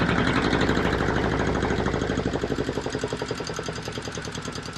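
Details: Volvo Penta 2002 diesel from a 1987 Liberty Yachts Pied Piper 28 sailboat, after repair, warming up: steady even thump about four beats a second, settling smoothly; normal warm-up idle.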